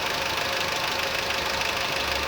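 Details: Honda Civic engine noise: bright, fast ticking chatter over the idle, mostly upper range, possibly top-end valve tappets; mechanic notes axial play, unsure bearing replacement alone will fix it, same fault on a similar car.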